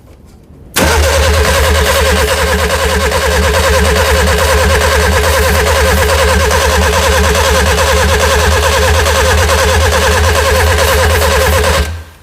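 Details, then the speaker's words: Classic Mini with a Nissan engine swap: steady starter churning about three beats a second for ten seconds, never catching; no spark, rotor arm thought not to be touching the distributor cap. "yeah it will not start it will not fish um spark because the rot arm is not touching the the distributor cap"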